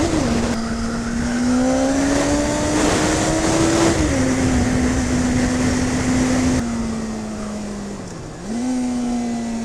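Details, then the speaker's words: 2001 Kawasaki ZX6R J2 on a test ride after changing all spark plugs: smooth, even engine note rising and falling cleanly with throttle, no misfire or stumble; bike running good. "Spark plugs are all changed and the bike's running good. I've just been out for a ride and given it a test run and I'm really happy."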